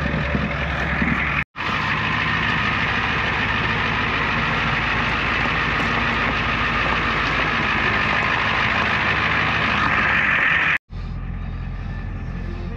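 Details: 1994 Ford F350 diesel fire truck, previously non-running from a fuel issue, just started after glow plug cycling with oil pressure: even idle with steady clatter, no hunting or misfires; healthy idle.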